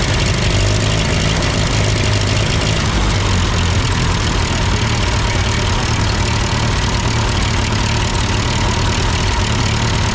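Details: Ford 8N tractor that sputtered uphill with a cheap Chinese replacement carb, now with its carb adjusted; steady, even low chug holding constant speed with no misses or stumbles. Normal idle.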